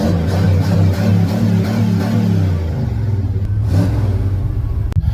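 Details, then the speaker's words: Chevy engine after replacing a stuck knock sensor: catches and revs cleanly, deep drone rising and settling evenly with no knocking or misfire; running strong after repair. "it's 100% the knock sensor, dude. This thing's running like a scalded dog. It's running good. Running really good."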